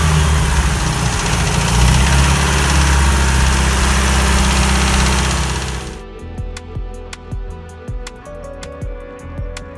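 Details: GAZelle Business UMZ-4216 engine, about 231,000 km, oil change history unknown: loud rough idle then sharp regular knock about three per second under throttle; teardown found cracked piston skirts, stuck rings, scuffing, worst on piston four, pins fine. Piston slap.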